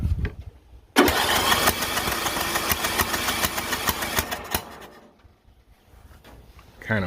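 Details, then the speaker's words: John Deere L108 lawn tractor after sitting about a year, with fresh fuel: a few seconds of rough, uneven firing that sputters and dies; owner thinks it needed fuel in the system, and the throttle was later found stuck. "I think this thing just needed some fuel in the system so it could actually start huffing and uh firing."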